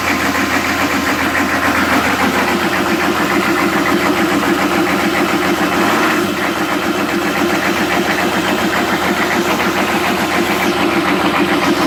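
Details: 1998 Chevy 6.5 turbo diesel with extreme rough idle: loud, uneven clatter and lumpy shaking rhythm; owner wants help, considering PMD and fuel filter.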